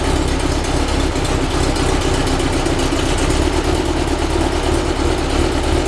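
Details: Rebuilt 1835cc air-cooled VW flat-four bus engine with vintage speed muffler, first start after rebuild, not yet tuned: steady, even idle with a regular low putter, no knocks or misses; ran with no real problems.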